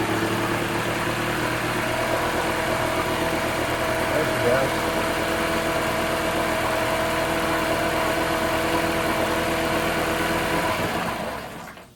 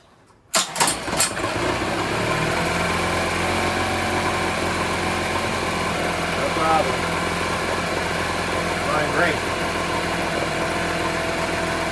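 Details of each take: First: 1980s Honda four-stroke outboard (BL100) found in the trash, fuel lines replaced, first start: runs with a steady, slightly uneven beat about eleven seconds then cuts out, surging on restart; water pump working, owner hopes carb clean fixes it. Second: 1980s Honda BL100 four-stroke outboard rescued from trash, after carburetor cleaning: fires on first pull, then smooth even idle with no misses or knocks; normal start and idle.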